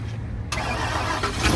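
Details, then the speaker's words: 2004 Lincoln Navigator that died after leaving the freeway, found with its battery not bolted down: brief crank, then it catches at once and settles into an even idle, a healthy start; alternator problem still suspected. "that sounds beautiful Oh that is awesome that is awesome"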